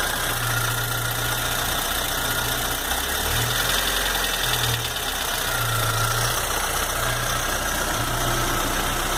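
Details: Chevrolet S10 2.4 gasoline engine, lifters, rockers, pushrods, pistons, rings and rod bearings replaced, head checked, camshaft reportedly fine, 15W5 oil: busy idle with rough low thrum and uneven tapping underneath; engine knocking at idle, cause unknown.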